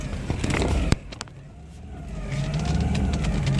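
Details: 1997 Geo Metro (132,000 in 2014) idling in reverse after new transmission fluid: the small four-cylinder's idle rises and sags unevenly instead of holding steady. Owner suspects the throttle position sensor he'd fiddled with.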